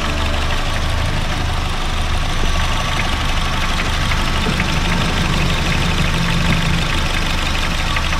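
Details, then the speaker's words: Honda Fit GD3 idling with the AC on: a steady low rumble with an uneven flutter from the AC compressor, absent earlier. The refrigerant isn't overcharged per the sight glass; slight compressor wear is suspected. "コンプレッサーね、ちょっとゴロゴロと音出てます。さっきは出てなかったんですね。"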